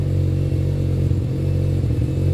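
Lumpy, uneven low burble at idle with irregular stumbles; secondaries open letting air in without fuel, so it runs rough.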